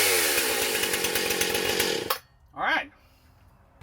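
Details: New Husqvarna Rancher 455 chainsaw, restarted warm without choke after first start: crisp, buzzy two-stroke note holds steady a couple of seconds, then cuts off cleanly at the stop button; running fine.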